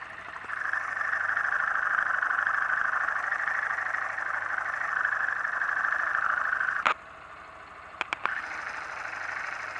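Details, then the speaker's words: New motorcycle engine at idle, said to be running perfectly with no abnormal noise; fast, even ticking over a steady mid-pitched hum, no knock or grind; normal internal mechanical noise. "eu vou funcionar logo o motor primeiro aqui para você ver que ele está em perfeito funcionamento esse motor não tem barulho nenhum não tem barulho"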